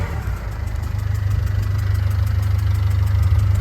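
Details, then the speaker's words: Diesel Ford Fiesta at idle, with a strong diesel smell in the cab and some smoke: light, fairly regular ticking about three or four per second over a rough idle; a leaking injector seal is suspected. "So with the ticking noise, there's a strong smell of diesel coming through into the cab. There's also a little bit of smoke. So I'm hoping it's a leak on one of the injectors and it's just going to be an easy sort."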